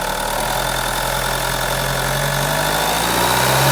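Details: B20DTH diesel at idle: constant low hum with a fixed mid-pitched tone riding over it; droning noise from under the bonnet, source unclear.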